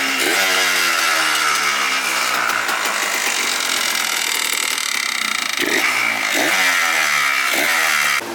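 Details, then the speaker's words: Yamaha Blaster 200 two-stroke, first fire-up after cheap rebuild with new carbon reeds, fuel lines, carb refitted: crisp buzzy steady idle, then three clean revs rising and falling quickly with no bog or miss; runs healthy. "Wow, it just fired right up, dude. I'm stoked. Sounds good, ready to idle."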